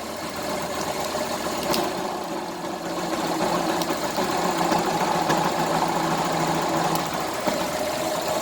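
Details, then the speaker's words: Fazer Factor 150 motorcycle idling: uneven rattling, scraping noise over the engine beat, resembling a broken bearing; it stops when a part is removed and the headlight had gone dim, so a burnt stator is suspected, not confirmed. "eu vou fazer a desmontagem aqui do estator, pelo jeito aqui tá com o estator dela, eu vou desmontar e terminar o vídeo."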